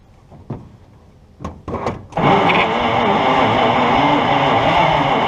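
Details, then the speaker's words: 1951 Brockway, formerly seized and pickled, coil powered via separate ignition wiring; sputtering cranking bursts then catches and runs steadily. "She's a runner. Okay, so we uh corrected the ignition issue. Uh found a blown fuse in the cab."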